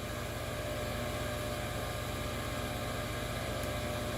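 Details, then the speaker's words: Homestead 12V RV water pump: constant motor drone with steady low pulsing that never cycles off even with no water drawn; pump runs continuously instead of only on demand, cause unknown. "for a while, and it's kind of a lot of power coming from this thing, and I thought it was only going to turn on like when you like turn the water on. So I don't know what the deal is, what's wrong here."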